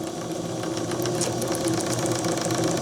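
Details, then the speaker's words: Old JMC 3 cc live steam engine in RC steamboat at about 2 bar: fast even chuffing and clicking at a steady light pace, no knocks or stumbles; running smoothly and gently. "Regardez comme il est smooth, comme il est tout doux."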